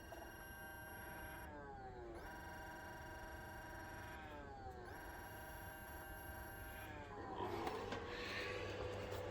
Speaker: That's the color wheel. Color wheel's trying to start, it can't, and it's then going into shutdown / error.